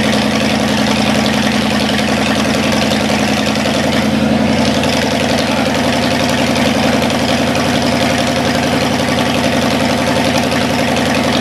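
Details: Cadillac 390 V8 started after 8 years sitting, still cold and untuned: steady, even idle with smooth rumble, a touch fast, otherwise clean. Water pump leaking. Slightly high cold idle.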